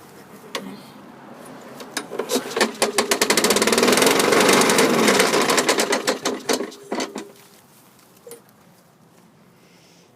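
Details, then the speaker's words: 2003 Craftsman 917.379071 self-propelled mower, 6.25 hp engine 120802-0252-B1, 22-inch blade, bought as a non-runner: revs up with uneven, stumbling, surging firing and a little smoke, with the blade banging. Runs rough, likely a dirty carburetor. "rough sounds rough a little smoky which I'm not worried about"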